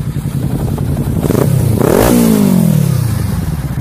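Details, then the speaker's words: Kawasaki Z300 parallel twin after rebuild with a roller-bearing crankshaft and connecting rods to cure engine noise: revs blip up and fall back smoothly, crisp even firing, no knock or rattle; normal revving. "Vamos ver se ficou boa, né? Vamos ver. O barulho. Olha o barulhinho. Né?"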